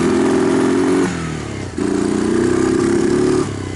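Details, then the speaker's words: 2002 Kawasaki Lakota ATV, warmed up, after knockoff CDI replacement, carburetor cleaning and new spark plug: engine revs then note drops out and stumbles as rpm climbs; pulls well under load, owner suspects ignition. "it's really pretty good when it has a load on it but um hear how we kind of kind of stumbled I think I think that's ignition"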